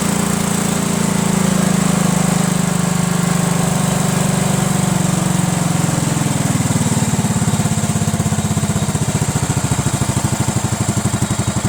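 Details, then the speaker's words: Cub Cadet lawn tractor, Kohler Command horizontal engine, normally runs rough and barely stays running; gravity-fed straight to the carburetor bypassing the fuel pump, it holds steady then settles lower and runs smoothly, pointing to a bad mechanical fuel pump with a worn actuator tip. "we're gonna have gas gravity-fed right into the carburetor so it should be getting plenty of gas and we'll see if it works"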